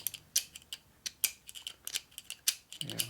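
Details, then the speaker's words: 1947 Harley EL 74ci knucklehead engine rebuild, gears turned slowly by hand in the cover; irregular dry ticks and scrapes with gritty catch each rotation; gears still dragging on high spots, one small gear digging into the cover and not fitting. "Still got some drag in there, you got to kind of work it through. The high spots have to be worn"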